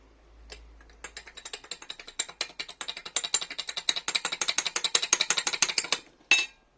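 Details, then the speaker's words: Yamaha Drag Star 650 motorcycle: a sharp metallic tapping about six times a second that rises with revs and sounds like loud valve noise, but the engine teardown found rod knock. "moto bateu biela, galera. Então o barulho aí é biela, galera."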